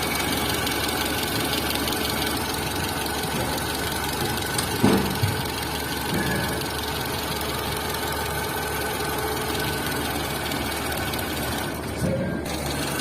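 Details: Tata Zest engine at idle: fine, rapid ticking over a quiet idle keeping time with the engine, suspected camshaft or valve-train noise; engine ticking at idle.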